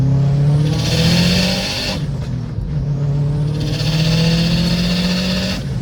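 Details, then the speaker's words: Subaru WRX with a freshly installed Perrin blow-off valve and hood dump, intake smoke-tested with no leaks, on a tuned engine. Two strong pulls with the note rising smoothly under load and a clean wastegate-like whoosh on lift-off. A pop still remains. Normal turbo acceleration. "Feels good, huh? It's nice. It's like a clean wastegate sound. Feels great. I'm happy."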